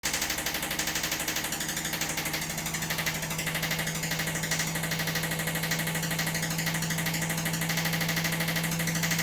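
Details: Washing machine during spin: rapid steady thumping about three beats a second under a hum as the drum bangs the cabinet. Worn drum shock absorbers have let the chassis they mount to flex and crack; the shocks themselves make no noise.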